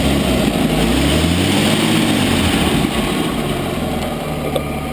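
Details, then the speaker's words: 1940 Chrysler Windsor coupe inline engine idling: steady low rumble with added puffing, ticking edge from an exhaust leak where the pipe meets the manifold; runs smooth otherwise, needs exhaust gasket replacement. "here's the engine and it has an exhaust leak where the pipe collects to the manifold on the other side so it does sound a little bit a little bit loud you can hear the exhaust leak"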